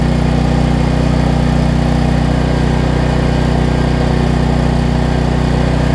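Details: Troy Bilt generator after a no-spark fault was traced to the low-oil sensor module (new coil and plug already fitted). Loud, steady drone at one speed with an even beat and no misses; runs smoothly.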